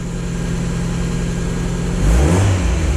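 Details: 1996 Miata running on its stock ECU before an aftermarket ECU swap, sitting idle 10–12 days: steady, even idle with a clean throttle blip about two seconds in, pulling up smoothly; normal revving.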